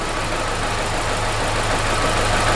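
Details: Vauxhall Corsa VXR idling: uneven, lumpy beat with a regular stumble; misfire from low compression on cylinder 4.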